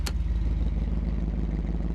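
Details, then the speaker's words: 1991 Chevy 454 SS, 7.4 L big-block V8, driving on the road: deep, even rumble with steady low pulses and no knocks or rattles; makes really good noises, normal running. "nothing else it makes really good noises"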